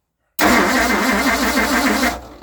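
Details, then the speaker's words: 1960 Ford Starliner 360 FE tri-power, long-dormant revival attempt, suspected weak or missing spark: steady starter churn with even compression pulses, never catches; extended cranking, no start, only runs while fuel is fed by hand. "It wouldn't just run by itself. I just had to keep on putting the fuel in by myself."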